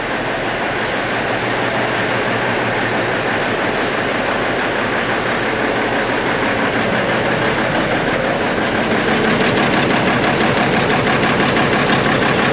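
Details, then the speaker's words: Peterbilt cabover diesel "Kenny", first run after setting the injectors and valves, smoky and not yet warm in the shop: fast, loud clatter with a sharp ticking puff about three per second; an exhaust leak. "Got a bit of an exhaust leak there."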